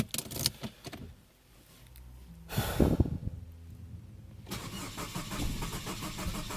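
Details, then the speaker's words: Saab 9-5 with replaced engine, fuel pump heard priming: starter cranks in bursts with a puff from the tailpipe each compression, smelling of unburned fuel, but never catches; crank no-start, apparently no ignition. "it spits out the exhaust tailpipe it's a puff puff puff each time the cylind or each time it's released some pressure from the cylinders it spits out the tail P I don't know if it's igniting or something"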